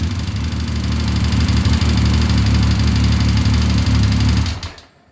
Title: speed triple knocking noise??